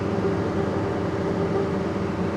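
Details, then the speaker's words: Combine cab during corn harvest after a failed turbo gasket was replaced: a steady, even diesel drone, with the earlier turbo rattle and squeal gone. The cab is now much quieter and the engine has more power. "So now that that all is fixed and been replaced, this thing is a lot quieter."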